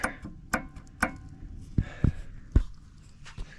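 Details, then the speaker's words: 2013 Ram 3500 driving with sharp metallic clacks about two a second over a low rumble, rate following road speed, from a bad passenger-side front axle U-joint at the wheel with needle bearings gone and cracked casing. "If you've got this kind of annoying ticking sound as you're driving down the road, check your front U-jints. They could be going out like mine is."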